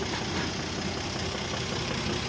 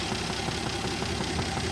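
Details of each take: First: 1967 Jeep Gladiator with about 6,000 original miles, first run after sitting 30+ years, idling smoothly and quietly with a steady low rumble, no knocks or ticks; steady vacuum over 20 inHg, oil pressure good. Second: 1967 Jeep Gladiator, 6K original miles, dormant 30+ years, first run after revival with no exhaust: quiet steady idle, strong steady vacuum over 20 inHg, occasional soft puff misfire; running slightly lean, mixture screw backed all the way out.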